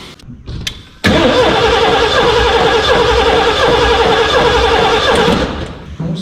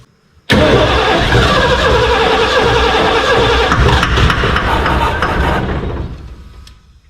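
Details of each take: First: 1989 Ford F250 starting after new fuel tank and battery, initially cranking rough; engine fires up quickly and holds a steady, even idle with no stumble or knock. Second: 1989 Ford F250 with a new gas tank, fresh gas, first start attempt: fires straight up and runs with an uneven, stumbling beat and wavering note for about five seconds, then dies; rough running.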